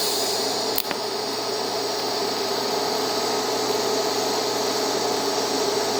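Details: Beginner's first TIG lap joint on cold rolled steel coupons, current raised from about 100 amps to 110: steady, even hiss with faint low hum and one brief tick near the start. Stable arc, a little hot but better than the low-current pass.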